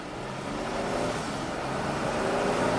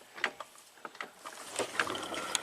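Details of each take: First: 2014 Jeep Grand Cherokee V6, 202k miles, after replacing the stretched transfer case drive chain that jumped teeth: hard acceleration on paved road test drive, engine pulls smoothly with no clunk or snap. Normal acceleration, no clunk. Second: 2014 Jeep Grand Cherokee V6 at 202k miles, one-speed AWD transfer case, jacked up: loose metallic clicks and clunks as the rear driveshaft is rocked by hand, showing slop before the front shaft turns; the stretched chain jumps teeth, causing a clunk under hard acceleration.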